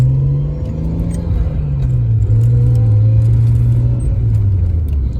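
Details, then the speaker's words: Nissan R32 Skyline driving with a newly installed ISR cat-back exhaust. Deep, low droning rumble rises and falls with throttle. Full, clean, normal exhaust tone. "And I'm gonna do a drive right now and see how it sounds. It has like a super deep tone to it."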